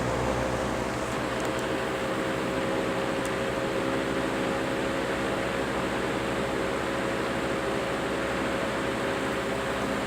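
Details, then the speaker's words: General Electric box fan with worn single bearing letting rotor drop and rub the stator: on medium speed, even steady whoosh and low hum with no rubbing or squeal; rubbing noise absent. "medium seems to be its better speed it's where it doesn't make any noise"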